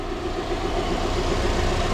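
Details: 2011 Subaru GT boxer engine with timing belt, secondhand replacement engine, idling: fast light even knock riding over the idle; source of the knock unclear.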